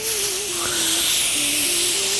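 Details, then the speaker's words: 2010 Toyota RAV4: a steady, sharp hiss of air escaping from a badly seated intake hose that may need tapping into place with a hammer, music playing over it. "если патрубок небо уход молотком подбить самом деле у нас вам травит воздух"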